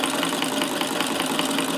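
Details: Davis Vertical Feed sewing machine, about 1885–1920, electrified in an adapted Singer 15 clone case: even light ticking about five a second over a soft hum, smooth and quiet: normal running.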